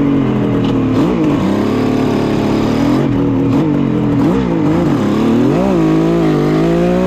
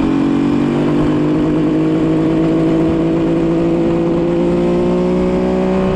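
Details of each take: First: 1974 Kawasaki H1 Mach III fitted with H2 750cc two-stroke triple, warmed up, revving, running a little lean on oil: rough rattly rumble rising with revs, gone when idle drops low; owner suspects crank bearing noise. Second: 1974 Kawasaki H1 Mach III fitted with an H2 750cc two-stroke triple, revving after the restrictive bogging air filters were removed: crisp, clean rise in pitch, pulling freely without bogging; normal revving.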